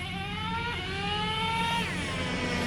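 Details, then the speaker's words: Traxxas T-Maxx 2.5 nitro truck after fitting a Losi 3.4 carburetor, not tuned for top end: high-pitched buzz at steady idle with small rev rises; idle improved but not perfect, bottom end now clearly stronger and responsive. "you can hear the idle it's not perfect but the bottom end is definitely there"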